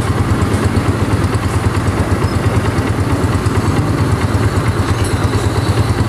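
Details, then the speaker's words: Honda CG125 motorcycle after repair, exhaust/silencer sound: steady, even single-cylinder idle with low regular beat, no knocking or tapping; earlier engine noises almost entirely gone; normal idle. "तो यहां पर देखे silencer का sound भी काफी बेहतरीन है और इंजन के फॉल को आवाजें तकरीबन खत्म हो चुकी है"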